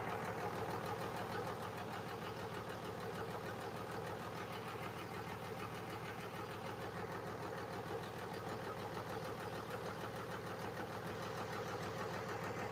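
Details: 5.9 Cummins diesel in a truck, run after tightening transmission lines, no antifreeze yet: steady low idle with an even clatter around two beats a second, no misses or odd knocks; normal diesel idle.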